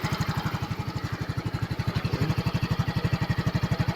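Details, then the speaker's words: Flooded Yamaha carbureted scooter at idle after long warm-up, engine still cold: slow, low thumping at about four beats a second, barely running, with some water still in the carburetor; water entered via the air filter, needs oil and gear oil change. "So mainit na siguro yung karburador nito. Tingnan natin na medyo may tubig pa konti. So antay-antayin natin na matuyo yan."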